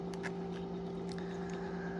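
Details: Used no-name aftermarket fuel pump from a Mercedes W126, bench-run drawing about one amp after cleaning ethanol residue; steady even hum with low drone and higher whine, no surging or rattle, running smoothly.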